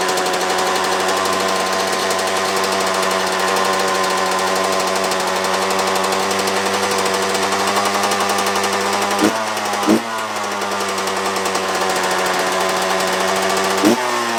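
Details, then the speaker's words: Two-stroke dirt bike filled with diesel instead of petrol: buzzy drone that stumbles and sags, barely staying running, smoking much more than normal. "It's definitely smoking a lot more than normal, but it's running on it. It's just not staying running."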